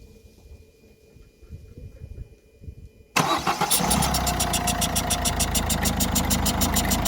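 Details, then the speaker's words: Citroën C4 Picasso 1.6 diesel started after timing belt replacement and coolant refill: cranks, catches, idles with sharp regular ticking chuff about three per second over clatter; burnt seal on second injector leaking, needs replacing. "Voilà, vous entendez peut-être un bruit un peu étrange. Il y a le joint, l'injecteur qui est cuit sur ce deuxième injecteur. Il va falloir le remplacer bien sûr."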